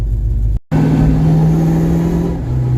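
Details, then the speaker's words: 1982 Ford Mustang GT driving after lowering and sway bar refit: steady road and engine drone with no rear knocks or clunks over weight transfer; rear suspension now quiet. "So far it's a lot quieter in the back. The weight transfers back and forth. It's not knocking like it was."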